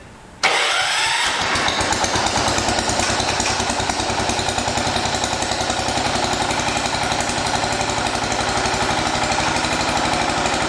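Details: 1980 John Deere 212 garden tractor engine, started in cold weather after leaking crank seal replaced and oil checked: catches right away, steady even idle, no misses or knocking, no oil leak seen; normal idle.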